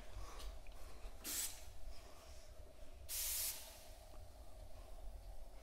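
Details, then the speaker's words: Holden drag car LS engine intake pressure-tested at about 10 psi with turbo blocked off and idle air control valve sealed; sharp air hissing escapes around the shaft of the standard LS1 throttle body, a boost leak. "I can hear it hissing. Yeah, there you go. So I'm only getting sort of putting 10 pound into that."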